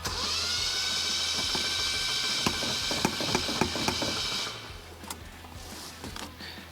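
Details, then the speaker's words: Rusty Datsun after head gasket reassembly with bread and Vegemite, no coolant, head bolts not torqued to spec: starter spins fast with an even light whir and no compression chuffing; engine has zero compression. "that sounds like zero compression to me I haven't forgotten anything stupid have I I I think so I think it's just got absolutely no compression"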